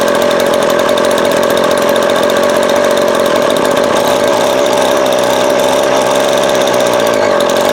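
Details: Vintage Craftsman 22.2cc 14-inch two-stroke string trimmer, estimated early-to-mid 1980s, original spark plug and fuel filter, fuel line replaced and carb cleaned; steady even high-pitched buzz, no surging or dropouts; runs clean and healthy.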